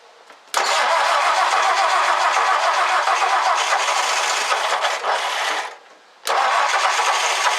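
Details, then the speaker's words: 1964 Ford F100 with fuel pump inlet fed from a gallon gas can: brief crank, catches and settles into a steady even idle, no knocks or misses; oil pressure light off, idles awesome. "and it idles awesome"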